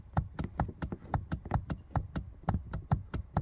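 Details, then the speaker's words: 1986 Corvette C4 lumbar support air compressor, removed from the seat, run by pressing the button: quick dry hollow ticking about five times a second but no longer pumps; torn rubber pump membrane. "it definitely makes noises but it no longer pumps"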